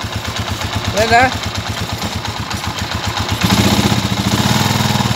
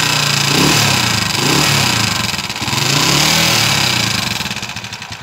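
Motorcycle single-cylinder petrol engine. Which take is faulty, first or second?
second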